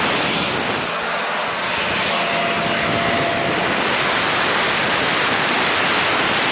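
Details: Turbo barrel on a cage buggy, packed very tight with wood for pyrolysis gas: constant rushing roar with no strong bass, strained and uneven; the owner suspects too little air gets through and it is struggling.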